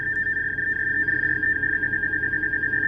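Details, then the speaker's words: JRC NCM-2150 SSB MF/HF radio DSC transmission test: steady high warbling tone like rapid Morse code runs unbroken for the whole clip, a complete DSC reply showing good transmission; normal DSC test reply tone. "Parang rapid na Morse code. Yun yung tunog ng DSC. Reply."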